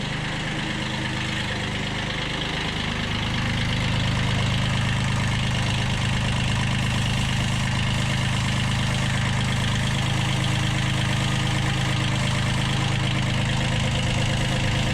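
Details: 1991 Kubota B7100 HST diesel tractor, started at low throttle after glow plug heating, following a fuel filter change and radiator stop-leak: engine catches and settles into an even, steady low clatter with no misses or knocks; healthy idle.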